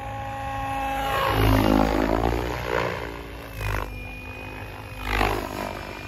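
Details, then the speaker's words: XLPower Specter V2 helicopter, new Egodrift 4525HS 550KV motor and YGE 135HVT ESC, VBar Neo governor, bank one head speed about 1600 rpm, 3D flying: rotor whine sweeps up sharply and overshoots before settling; governor overshoot of head speed. "governor over shot a little bit there still using the v bar governor haven't switched over the white yet"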